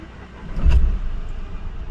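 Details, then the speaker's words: Mahindra Bolero Neo diesel, previously knocking, misfiring and vibrating, now after rail pressure sensor work with the check engine light still on: cranks briefly and settles into a low, even idle with no knocking or vibration. "Silk में गाड़ी start हो रही है। Engine के अंदर knocking भी नहीं, steering भी एकदम ही स्मूथ है। कोई वाइब्रेशन नहीं है।"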